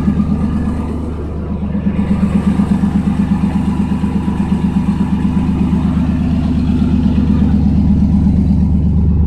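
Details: 1992 Chevrolet S10 Blazer on a cold day: steady, even low idle with regular firing and no skips after replacing plug wires (number 5 was bad) that caused a misfire; cat rattles from a leak, vacuum leak also present.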